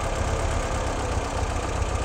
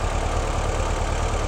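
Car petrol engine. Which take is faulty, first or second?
first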